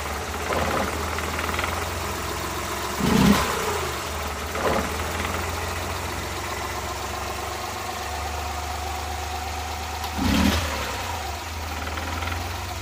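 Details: Suzuki Multicab F6A engine idling unevenly, a few irregular stumbles and thumps, about three in thirteen seconds, breaking the rhythm: random misfire at idle.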